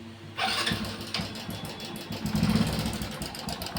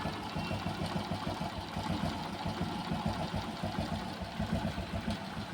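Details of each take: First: Hero Passion Pro at idle, about 15 days to a month after a new timing chain was fitted. Light metallic chatter rides over the idle beat. Owner suspects a failed chain tensioner (adjuster). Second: Hero Passion Pro motorcycle, after the timing chain rattle returned weeks after a new chain and was fixed by tightening: steady single-cylinder idle, even low beat, no top-end ticking or chain rattle; noise gone, normal idle.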